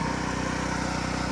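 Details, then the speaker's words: Harbor Freight Predator 8750 generator, choke start before brush and voltage regulator replacement: starts easily and idles with a steady, even drone, no knocks or misses; engine runs smoothly but there is no AC output. "turn it on do the choke start it up see what happens all right well it starts up pretty easily"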